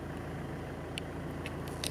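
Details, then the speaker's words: 1994 Mitsubishi Pajero Exceed-I 2.8L 4M40 turbo diesel, automatic, 4WD, idling just after start: steady low diesel clatter, even, no misses or knocks, faint ticks; runs great. "Yeah, this thing runs great. Go ahead and start it up. It starts right"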